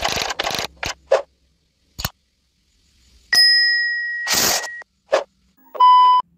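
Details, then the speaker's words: Three-tone reverse alarm on a 24 V truck (12/24 V unit), yellow and red wires joined: clicks and short chirps, then a steady high electronic tone and lower buzzing beep; combined reverse and brake tone. "tapi kalau kita pakai yang kabel warna merah [Musik] itu untuk atrak kita gabungkan kabel kuning sama kabel merah dia seperti ini"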